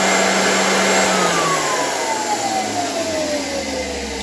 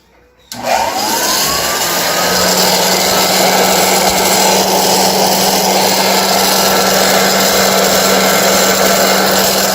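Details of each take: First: 1923 GE Premier Junior vacuum cleaner running with its belt off: a smooth, steady fan whoosh and clean motor tone winding down, no rattle. This is normal; the noise had come from bad bearings on the dirt brush. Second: 1923 GE Premier Junior vacuum cleaner being restored switches on and spins up to a steady hum with a rough, gritty rush from noisy brush roll bearings; much quieter with the belt removed.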